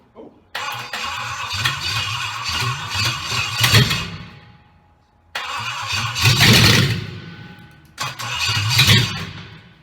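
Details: Triumph Stag V8 on a test bed after full rebuild, start attempt on jump pack with rebuilt carburettors; three bursts of rough cranking that catch and stumble without running, fuel not reaching carbs; carbs later found misadjusted, firing order also wrong.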